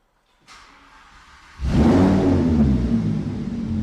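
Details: Lamborghini Huracan V10 being rebuilt after rear crash damage, first start after swapping the engine control units, no coolant: fuel pump hum, then a loud, even rumble that settles smoothly; starts cleanly and runs right.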